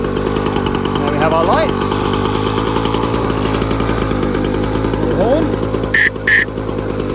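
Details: 1957 Jawa 550 two-stroke single, just repaired, kick-started: fast, buzzy popping holds a steady even beat at idle without misses; healthy idle.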